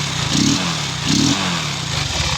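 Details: Motorcycle after a new spark plug was fitted gives two quick throttle blips rising and falling cleanly, no pops or backfire; running normally, old plug had been fouled by unburnt fuel pooling in the manifold causing backfire.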